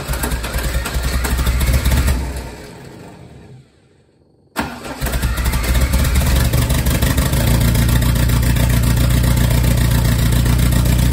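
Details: Lotus Esprit cranking in steady rapid pulses, about three a second, but never catching and running: crank, no start.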